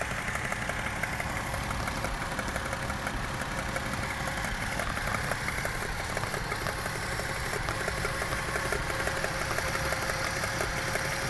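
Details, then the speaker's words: Toyota 1JZ-GE at idle with a suspicious light, fairly regular ticking knock, about three a second; idle wavers as if rpm sags. Plugs recently replaced and gearbox oil changed; others suggest checking camshaft bolt torque. Knock, cause unknown. "этой части подозрительный стук. И подрагивают обороты. Как будто просадка в оборотах."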